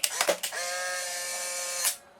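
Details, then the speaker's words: Polaroid SX-70 converted with replacement FK-130SH-16140 motor, which runs slightly slower and quieter: a couple of clicks, then steady high motor whine for about 1.5 seconds as film ejects cleanly; normal film ejection. "the other thing is that running slightly slower does make the camera"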